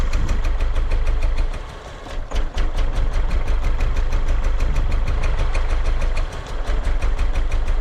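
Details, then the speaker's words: 1999 Honda Accord, just under 200,000 miles, codes P1399, P0303, P0301 after cold snap: idle uneven and stumbling, spitting and sputtering from misfire on two cylinders, worse when a plug wire is pulled. "look at the Idol's terrible that one made it spit and sputter"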